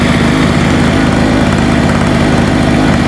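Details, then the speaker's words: Hurricane 850W 240V two-stroke generator with a loose spark plug retightened, warming up: steady, busy drone at constant speed with a slightly ragged beat, smoking heavily; fuel probably has too much oil in it. "Let's let it warm up. See what happens. Trying to get warm now, but it's really It's still very smoky."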